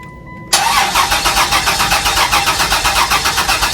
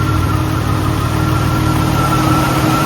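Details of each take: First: 2001 Chrysler Prowler, sat about three years with an overheating history, on a substitute charged battery: starter cranks steadily about four seconds and never catches; no fuel in tank, crank no start. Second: 2001 Chrysler Prowler revived after sitting 3 years, idling with AC on as temperature rises: steady idle with even rushing whoosh and faint constant hum, likely radiator cooling fans coming on; normal idle with fans apparently running.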